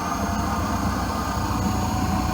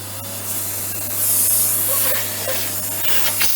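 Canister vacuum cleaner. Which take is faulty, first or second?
first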